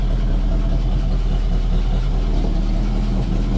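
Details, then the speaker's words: 1968 Mustang, first start after being parked about 20 years, new fuel pump fitted, running off its proper ignition: steady, even low V8 idle with light valvetrain ticking on top; runs smooth, normal idle. "it's freaking idling wow man that's awesome I haven't heard my car running 20 years she sounds good too"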